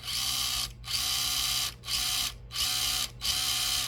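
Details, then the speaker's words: Hobby Plus CR-18P Evo Trail Hunter RC crawler, new out of the box: five short bursts of high, raspy drivetrain whirring with brief pauses. Owner suspects a gear mesh problem in the transmission but is unsure. "it sounds like there could be something going on with the gear mesh in that transmission. I'm not 100% sure."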